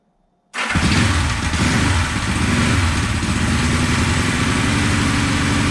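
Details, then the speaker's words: 1974 Honda CB450 twin, sat for years, first start on remote fuel during timing-light check: fires into a lumpy, uneven idle with irregular pops back through the carbs; ignition timing about 20 degrees off, later dialed in. "but the timing was way off like probably 20 degrees off that's why we were getting some pop sizes the carbs and everything"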